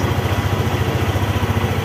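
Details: Motorstar ADV 175 scooter after no-start fix: even putt-putt idle at roughly twelve beats a second, steady with no misses; idles healthily.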